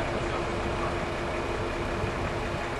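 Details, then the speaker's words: Unimog at Mog Fest 2006, idling in a narrow canyon on a hot engine: steady even rushing roar of the cooling fan running hard, no knocks; fan shuts off only once the engine cools. "what's that noise your fan yeah it's our"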